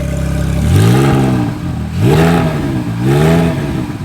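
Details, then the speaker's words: Salvage-auction wrecked car with front-left frame damage, fitted with a loud aftermarket exhaust: loud bark as it catches, then three clean, even revs. Normal start and rev. "here we go oh yeah she's alive this thing is super loud"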